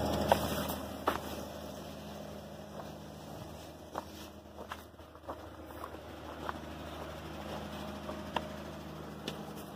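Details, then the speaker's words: 2005 Hyundai Santa Fe 2.7 V6, just started for the first time in seven years after the fuel line was replaced with 7mm hose and it was jump-started. Quiet, even low hum, no misses or knocks, light clicks nearby; smooth idle, no fuel leaks. "looks that so I'm really happy you got that running"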